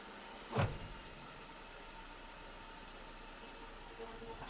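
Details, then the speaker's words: 2020 Dodge Ram 1500, stationary, battery at 10 volts, shifting park to reverse: single dull low thump with nothing repeating; suspected clunk back in the differential, not confirmed; clunk when shifting park to reverse. "m the diff yeah that's I was just going to say it sounds like it's clunking back in the DI"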